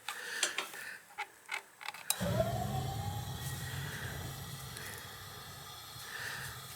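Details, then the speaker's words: Gas water heater, pilot lit: a few igniter clicks, then the burner lights with a soft roar that weakens over several seconds and won't hold. Owner suspects the gas valve starving it for fuel or air; not confirmed. "then when i turn it on it seems like it's dying"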